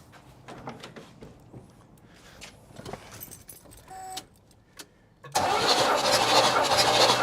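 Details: 1969 Buick Riviera GS sitting about 30 years, during compression test with carb held open: loud, even starter churn with steady beat and no firing; cranks normally, compression a little over 150.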